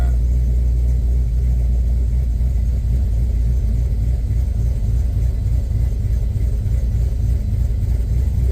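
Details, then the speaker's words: LS-swapped Chevy Caprice Classic (box Chevy) on ACES fuel injection at idle with worn intake gaskets: low, uneven, loping V8 idle; smells very rich, AFR 12.1, IAC counts way high and IAC position not moving; owner suspects a bad IAC. "man. It smells very, very rich. AFR is at 1210. Yeah, it's rich. Rich rich."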